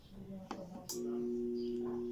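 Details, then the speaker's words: Maytag washer on the spin cycle: the motor gives only a steady electrical hum at one pitch with no drum whir and does nothing. Seized motor. "solamente zumba si solamente no hace nada"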